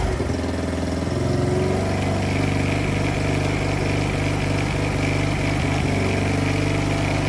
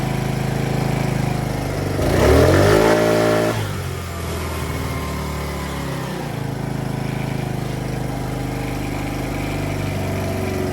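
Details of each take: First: Polaris Outlaw 50 kids' ATV after a thumb-to-twist throttle conversion, started with key on and brake squeezed: small engine holds a steady, flat idle and won't rev; owner suspects the throttle setup makes it think it's throttled, upsetting the timing. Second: Polaris Outlaw 50 kids' ATV, after a thumb-to-twist throttle conversion: small single catches quickly, revs cleanly and drops back to a steady, even idle with no misses or hesitation. Normal start and revving.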